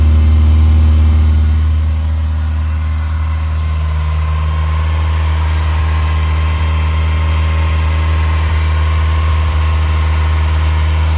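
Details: Recommissioned 1980 Ferrari 308 GTSi on a fully cold start: smooth, steady idle that starts high and eases down after a couple of seconds. It reached the mid-to-upper teens before dropping back; a normal warm-up fast idle.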